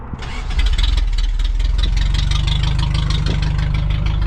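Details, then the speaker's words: 1st-gen Toyota 4Runner, 22RE, 5-speed, after engine rebuild and distributor moved one tooth: brief crank, then catches into a loud, steady, even idle with open-pipe bark from no exhaust system; starts clean and runs well. "All right, it's already better. She sounds like she runs pretty good. She's obnoxiously loud."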